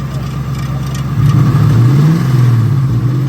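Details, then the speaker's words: Lincoln Aviator with swapped Terminator Cobra supercharged engine, supercharger belt removed: idle lifts slightly with rapid rough knocking that tracks revs. Owner suspects timing components; the stock gauge shows no oil pressure, so the cause is unconfirmed. "cuz it's a very high pitched like up high noise that it's not like R it's like timing components not good"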